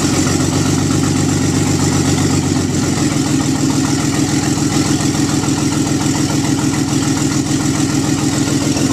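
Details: Nissan 300ZX twin turbo, first startup after engine pull with nearly all gaskets and seals replaced and silicone vacuum lines fitted: smooth, even idle with steady low beat, no knocks, ticks or misses; normal healthy idle.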